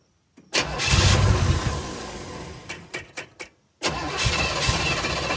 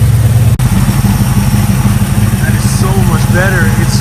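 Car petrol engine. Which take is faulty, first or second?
first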